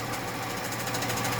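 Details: 1996 Holden VS Ecotec V6 idling with a fast, even tapping rattle from the front of the engine. Owner suspects the harmonic balancer and plans to pull it and fit a spare; cause not confirmed.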